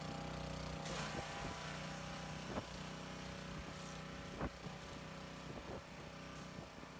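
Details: Lidl Parkside PHDB 4 C3 petrol four-stroke 180-bar pressure washer cleaning a stained yard area: steady hum under spraying load, a bit loud but even, few handling clicks; normal running under load.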